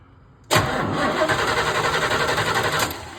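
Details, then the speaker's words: C3 Corvette that died suddenly: steady starter cranking at about four beats a second with no firing; a spark tester shows no spark, traced to the ignition system. "All right, just suspected. No spark."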